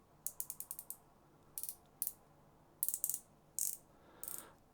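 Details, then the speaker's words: SoloKing Acura Pro BFS fishing reel: short bursts of bright, crisp clicks as the drag adjuster knob turns, each detent distinct and firm; normal. "then drag adjuster it has clicks nice positive"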